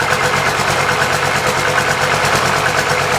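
Diesel idle lopes unevenly with a stumble roughly once a second; it is misfiring or hunting at idle, cause not pinned down. Cause suspected, not confirmed.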